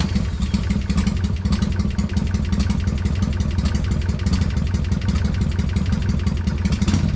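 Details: Freshly built Hammer Performance 1250 Harley Sportster (ex-883) during 30-40 second break-in warm-ups, no cam work: fast even ticking over lumpy V-twin idle from top end; owner suspects oiling, unconfirmed; top-end ticking.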